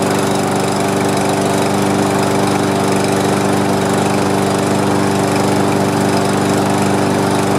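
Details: Free push lawn mower restarted after excess oil (overfilled) was drained to the correct level, running on gas of unknown age. Steady, even buzz at constant speed with no misses, surging or knocking; normal running.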